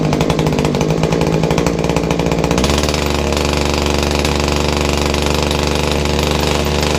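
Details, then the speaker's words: Kawasaki two-stroke hedge trimmer started after priming and choking, gunked up; harsh buzz with a rapid metallic gear rattle, very smoky, not picking up; muffler restriction to be checked first; gearbox rattle and poor running. "okay so five strap it up which is great but it's not a well puppy it's got a rattling noise from the gears gear Samri rattling and it is terribly smoky it's not running right"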